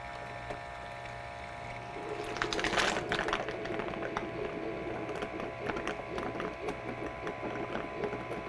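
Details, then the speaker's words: Keurig brewer running a brew cycle with water only: a soft pump hum as the water heats, then hot water hisses and spits in irregular bursts through the hot water delivery tube, normally flushing out clogged coffee grounds. "It's going to come out this tube and flush out any coffee grounds that are in there."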